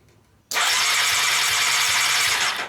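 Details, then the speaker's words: Honda CBR600 engine out of frame, starter jumped by wiring, carburetors removed: fast, even high whir for about two seconds with no firing; starter cranks the engine normally. "so let's see if this will get it to turn over oh it's working awesome"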